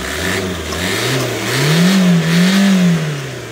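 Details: 2012 Toyota Fortuner with a turbo timer, fixed after it suddenly stalled on the road and would crank but not start (key–ECM immobilizer communication fault), revved after restart: climbs smoothly through clean revs and settles back; healthy.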